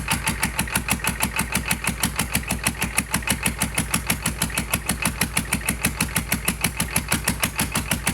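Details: GEP/Navistar 6.5 diesel on a run stand with Stanadyne DB2831-4911 injection pump, new injectors, no exhaust manifolds, after glow plugs: crisp, even clatter about three beats a second, steady; healthy normal idle.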